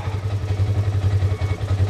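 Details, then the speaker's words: Salvage ATV with a broken part, idling at a Copart auction yard: even, low thrumming idle with steady beat, no knocks or rattles; "doesn't sound bad", normal idle. "that doesn't sound bad"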